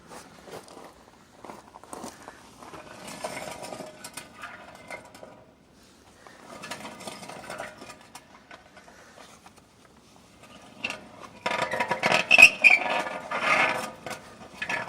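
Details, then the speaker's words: Ford F-Series/Bronco wheel hub spun by hand: rough, gritty scraping in bursts. The owner had recently greased and checked the bearings and suspects a worn wheel bearing; unconfirmed. "that's not break that's a wheel bearing I just grease them and I guess one went bad"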